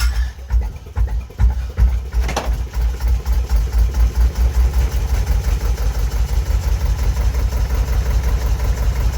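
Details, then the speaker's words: JP2 diesel boat engine, cold start in December after about three months unused: steady even low thumping just under three beats a second, clean tick-over, starting ratchet heard disengaging from the flywheel. "Always ticks over much nicer when it's cold. And that's the ratchet you can hear that separates the starting mechanism from the flywheel once it's up to speed."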